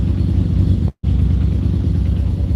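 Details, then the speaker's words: 1995 Mazda RX-7 rotary, first cold start after sitting a few months in winter: deep, lumpy, stumbling idle that sounds like a misfire, with a coolant smell; cause unknown, owner hopes it clears. "it's running kind of funky get the glare out of here I can smell coolant feels like a little misfire don't know why I mean it has been sitting for a while hopefully it'll clear"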